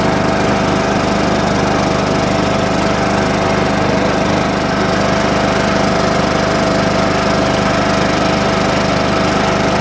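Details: John Deere small single-cylinder engine back running after a slow start from sitting with a weak battery on a 47°F cold morning; steady even buzz, no misfires or surging, left to warm up; normal running.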